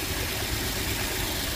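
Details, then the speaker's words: 2005 Toyota Tundra 4.7L V8 4x4 idling unevenly with a lumpy, stumbling low pulse; codes P0351, P0354, P0356, P0357 (coils 1, 4, 6, 7), check engine light on, cylinder one showing misfire counts, misfire from failed ignition coils. "cylinder one has four counts right now which doesn't seem like a lot for how bad it's running no it's running rough it's misfiring as fast as that seat light"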